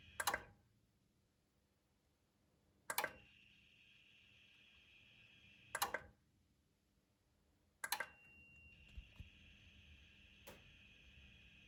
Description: Усилитель мощности Emotiva A-300 свистит и шумит во время работы.